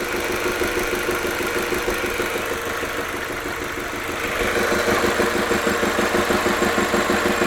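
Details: Audi A3 1.8T 180 hp: steady idle carrying a sharp, regular tuk-tuk about three times a second; abnormal engine knock, cause unknown.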